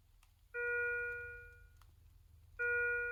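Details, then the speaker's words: Philips IntelliVue MX400 patient monitor after a blood pressure measurement: mid-pitched chime about every two seconds, each over a second long; medium priority alarm for a low blood pressure reading. "Oh, it would appear that our wonderful participant has a somewhat low blood pressure. Well, what you can hear right now is a medium priority alarm."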